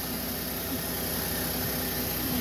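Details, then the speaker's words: 2014 GMC Acadia just after new spark plugs, previously rough idle: steady, even idle hum under faint hiss, no stumble or misfire; engine purrs, normal idle. "So I'm gonna shut this and start the car. It purrs."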